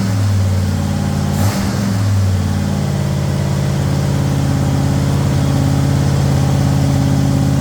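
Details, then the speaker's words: Ford Thunderbird Town Landau after 460 V8 swap with C6 transmission, heard from the rear with good oil pressure: throttle blip then smooth, even rumble, no knocks, ticks or rattles; normal running. "Well, we got good oil pressure. Thing seems to be good. Hear any weird noises? That's what it sounds like from the back now."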